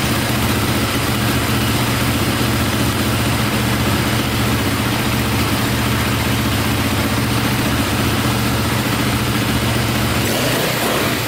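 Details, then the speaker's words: KTM 450 dirt bike after carb fix, clutch cover gasket and oil refill: steady even single-cylinder idle, healthy, with a small click at shutdown attributed to the starter one-way bearing, to be replaced. "see if she fires right back up sounds good there's a little click in there at the end i think that's the one-way bearing going"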